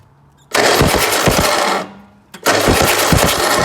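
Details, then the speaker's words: 1964 MG Midget stored 29 years, new coil, rotor arm, points and condenser, battery wires cleaned to read 12.5 V: cranking churn with sharp irregular snaps from test spark plug; ignition producing spark, fuel pump still to check. "We've got a spark, so we'll crack on, stick all that back together, and then we are going to have to get underneath, find the fuel pump, and start looking into that."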